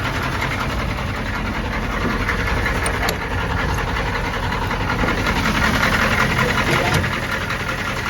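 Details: 1993 M998 HMMWV, 6.5L naturally aspirated Detroit diesel, cold, rough idle: a dull knock of two to three per second. The engine ingested water on a crossing and lost compression; owner assumes hydrolock and a bent rod, unconfirmed.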